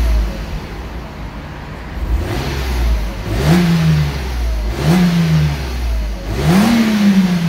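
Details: Mercedes-Benz with 203,000 km, rev test inside a car wash: three clean blips rise smoothly and fall back to a steady idle, no knock or rattle, exhaust echoing off the walls; plenty of power, little smoke, sounds healthy.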